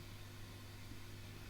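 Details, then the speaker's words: Engl Thunder 50 guitar amp idling quietly after repair of squeal, buzz and hum faults, including a new V1 preamp tube; with nothing plugged in and all knobs turned up there is only a faint even hiss and a low steady hum. "you hear nothing right okay just a little hiss and that's it this repair was successful"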